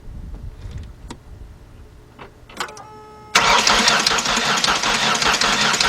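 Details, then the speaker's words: 2003 Ford Explorer 4.0 that cranks but won't start after stalling at a gas station: it spins fast and evenly with no compression pulses. The gauge reads zero on that side's number one cylinder, pointing to a problem on that bank; cause not confirmed. "all right guys we got zero which mean no crease only four which means we have an issue here with this side of the engine"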